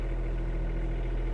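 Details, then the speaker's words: Kubota U10-5S2 mini excavator with 1 operating hour, diesel, just after starting: a low, even chug that stays steady with no knock or rattle, a healthy idle. "Поднимаем рычаг, заводим двигатель. Разблокируем опусканием рычага, и можно работать."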